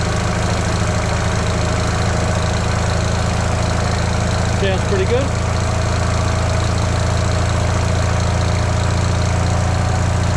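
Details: Fiat 500 (flood-saved) idling after replacing a sloppy engine mount: steady, even low hum with no knocks or misses; healthy idle, though engine movement looked about the same as before.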